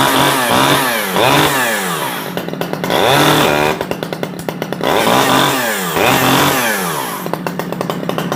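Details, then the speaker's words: $20 Stihl 011AV chainsaw, a small two-stroke, just started: it revs up and drops back in quick bursts, a little blubbery at the top and oiling. It sounds slightly rich, suspected but not confirmed, and a carb adjustment is planned. "come on she's oiling sounds like she's running a little bit Rich"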